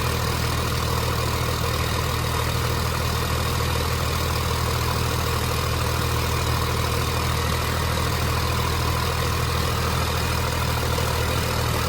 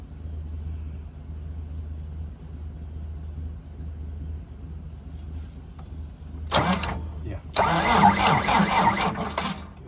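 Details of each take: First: 29-year-old TimberJack 450-C skidder diesel after sitting 8 years, just started with ether, hydraulics work: deep steady rumble with even beat, no misses or knocks; idling smoothly and healthily. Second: 29-year-old TimberJack 450-C skidder diesel, sitting 8 years, turbo locked up, battery was at 11 V before the charger went on: slow, labored cranking at three or four beats a second that never catches; owner thinks the starter isn't spinning it fast enough.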